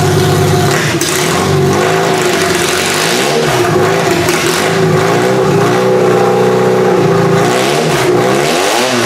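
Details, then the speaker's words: Toyota engine started on QuickStart with spark: loud, rough revving with uneven stumbling pulses, not firing on all cylinders, flames seen; owner suspects some spark plugs are junk. "okay that's really loud so what it sounds like to me is it's not firing on all plugs it sounds like some of the plugs are probably junk"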